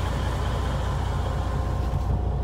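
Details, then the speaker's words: Freightliner Cascadia DD15 diesel started in neutral after oil and filter change and fuel-filter priming, oil pressure about 50 psi and charging correctly: steady, even smooth low rumble, no knocks or misses; normal idle. "you're gonna start your engine make sure you're neutral there you go nice start oil pressure should jump up"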